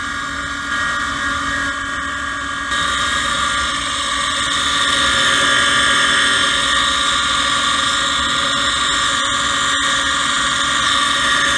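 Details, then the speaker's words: Gas furnace mid heat cycle, on a no-heat call where the indoor blower was not working: a shrill, steady multi-tone scream sits over the blower rush without letting up. The inducer motor is failing and needs replacing. "all right so we're back and they are in the middle of the heat cycle before listening to that motor screen i hate to shut them down but uh need to get it fixed"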